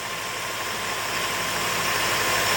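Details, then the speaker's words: 2006 Honda Element, first start after engine rebuild and reinstall: buzzy uneven idle with shaky undertone and visible vibration; coil one found partly unplugged, suspected cause; rough idle. "so let's see what happens oh holy cow wow she's a little rough"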